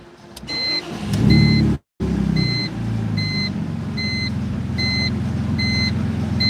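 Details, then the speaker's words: BMW E85 Z4 roadster with a new fuel pump, on restart catches and settles into a steady even idle with a repeating dash chime; earlier misfire gone, check engine light out. "There we go. She's running pretty good though, chat."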